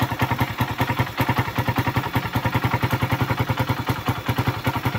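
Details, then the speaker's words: Suzuki Raider 150 heard through a stethoscope at the head: loud, even clatter about eight beats a second over idle. Valves loudest, then crank and piston bore, damaged after the engine ran without oil and overheated. "pati dito sa may valve. So ang pinakamalakas sa valve sumunod dito sa pang shop diyan sa may piston boat."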